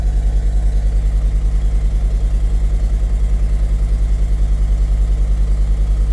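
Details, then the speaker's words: T1N Sprinter diesel warming at fast idle, after a rough idle, new tone and ticking from a leaking injector: steady lumpy pulse about three a second under the clatter. "I noticed the idle was getting a little rough and then the day I pulled it off the road I um they I pulled it off the road I noticed there's a different tone and the the ticking noise so um I looked at it sure enough there's a whole bunch more that uh that injector leak crud around the cover open it up and sure enough"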